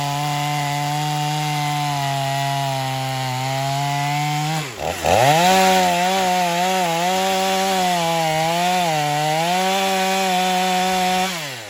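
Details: Stihl MS250 chainsaw test cutting wood after carb retune, tuned pretty rich for break-in; possibly slightly low compression but pulls strongly; steady high buzz sags as chain bites, recovers quickly.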